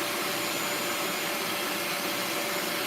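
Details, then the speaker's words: Bissell Lift-Off carpet shampooer suction motor running: steady, even airy roar with no surging or rattles; suction works normally, the fault turned out to be spraying rather than suction. "All right, so the suction is working."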